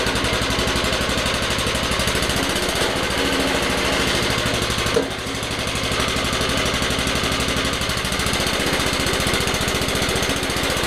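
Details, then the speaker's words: Old eBay lawnmower, single-cylinder, first run after being revived from non-running with its seized chain freed: steady, even putter with a brief dip midway that recovers at once. Normal running. "but yeah it's working that sounds come on"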